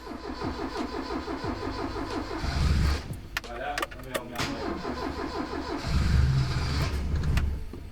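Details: Mk III Ford Escort stored in a damp garage, started on a jump pack with choke, exhaust baffles blown out: repeated cranking with uneven catches and bursts that never settle to a clean idle. Reluctant to start.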